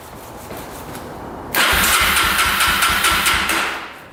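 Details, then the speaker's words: 2005 Yamaha TTR250 single-cylinder, sat unused for about two years, petcock on reserve with choke pulled: starter spins with a steady rhythmic churn but never fires; crank no start from fuel starvation, with a leaking petcock. "we were not that lucky today just not gonna fire up it looks like the petcock is leaking already"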